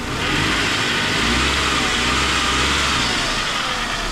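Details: Engine revs up and holds an even, steady note on an old Vauxhall with no belt squeal or chirp, after cleaning a buildup of grease and oil off the belt and pulleys fixed the noise; runs clean.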